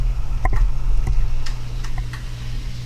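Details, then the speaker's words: Model railroad reverse loop, AR1 auto-reverser during wiring test; sharp uneven relay clicks about four a second over a low hum, clicking when it shouldn't; sensitivity needs adjusting; auto-reverser chattering. "i think there's something wrong with the 8r1 because it's clicking too many times you shouldn't be clicking right now you guys hear that you just need to adjust the sensitivity a bit more"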